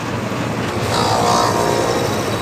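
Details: Outdoor AC condenser after replacing a bad capacitor (the fan side read zero, the compressor side 1.2) and cleaning the dirty coil: steady, even whoosh and hum with fan and compressor both running.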